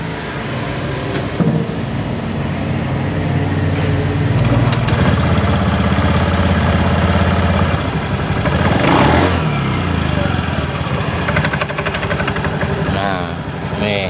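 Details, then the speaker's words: Honda Beat FI scooter idling with a loose, uneven clatter of about four knocks a second from the CVT that roughens on blips; rollers found worn out of shape and oil seeping. "kali ini saya mau kasih tips sedikit tentang suara motor yang kasar nah seperti ini langsung aja ya adanya suaranya di sini nih"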